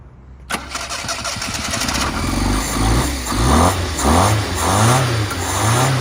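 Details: 1988 Yugo GV, Yugoslavian-built old Fiat design, first start after sitting over 20 years, given another shot of "go juice": engine catches after a crank, then rises and falls through even throttle blips, pulling cleanly without stumbling. Normal engine revving.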